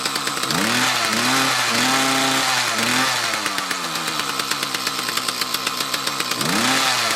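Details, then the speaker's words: Mantis tiller with two-stroke Kioritz Echo engine revs up, then sags and stumbles under load, recovering off the gas and after idling; fuel starvation suspected from a restriction, possibly a clogged fuel filter. "right so i could replicate the problem again as soon as you let off the gas let it idle for a little bit and reapply it works so i'm thinking it's not getting quite enough fuel"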